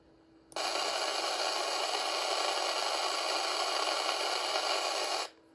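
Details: Yaesu FTM-200D into 50-ohm dummy load, VHF digital transmit, volume wide open: abrupt steady hiss-like static about five seconds from internal and external speaker, only in digital, not band or power specific; silent in analog.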